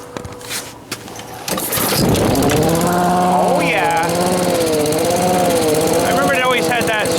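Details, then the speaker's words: Old blower engine, run outside on fresh regular gas after sitting with old gas: catches and runs, but its pitch slowly rises and falls every second or so; surging, owner suspects fuel starvation, says it always did this, cause unconfirmed. "of surge not doing it so much now like it's starving itself on gas or something I remember it always had that though weird"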